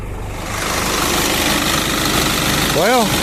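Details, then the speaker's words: 2011 Isuzu NPR/NRR, 5.2 diesel, sat about a year, new batteries, fuel primed 2-3 minutes with hand primer bulb: catches quickly and settles into steady even idle, no knocks, misses or hunting; normal idle. "I uh put batteries in it primed it up with a little hand primer right there and uh it started right up no issues"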